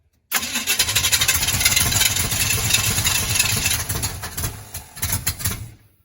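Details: 1980 Chevy K30 with small-block 350 V8, frame-off restored, first start attempt: steady starter cranking about three beats a second for five seconds, no catch or firing; cranks but won't start, lack of fuel or ignition timing suspected.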